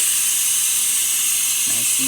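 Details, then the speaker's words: Breville Oracle espresso machine after full service for internal leak and erratic behavior: strong, steady, even hiss holding level as the steam wand purges at good pressure and temperature; normal steam wand operation. "great temperature for the steamer as you can see pressurizing and cleaning the"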